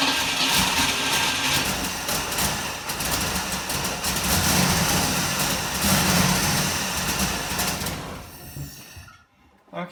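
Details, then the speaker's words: 1960 Pontiac Ventura with Tri-Power carburetors, after new points, coil, plugs and wires, timing set and carbs adjusted: uneven, stumbling idle with irregular chuffs and pops. Still misfiring, chugging and backfiring; owner suspects an electrical cause, not confirmed. "it's still running terribly it's missing it's chugging backfiring"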